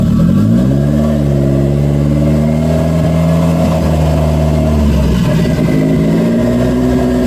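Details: Engine after axle and cable work, revved in several clean blips and settling to a steady idle, pulling evenly with no misses or odd noises; sounds healthy.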